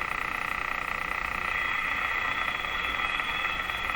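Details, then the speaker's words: Moffat Crosley G2465 five-tube radio after power supply filter capacitor replacement: steady tick about three a second over high hum, pace drifting; intermittent ticking suspected to be household interference resembling ignition noise, earlier suspected motorboating, unconfirmed. "that ticking sound is probably an interference signal from in my house here which I experience all the time I have no idea what it is it sounds like ignition noise from a car engine"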